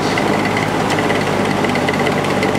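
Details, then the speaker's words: Air King 9218 box fan on high speed: steady loud hum with constant rattling buzz and heavy vibration from an imperfect, out-of-true motor rotor; felt washers and bearing are fine. "so you can hear all that racket coming from the motor it's it's not being caused by the washers or anything like that"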